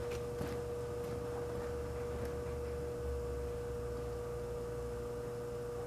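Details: Antique Frigidaire 5400426 fridge compressor on a test charge with a little oil added, no overload relay fitted: smooth, even low hum with a steady tone. Current fell from 3.2 to 2.3 A and the evaporator is cooling, so it runs normally.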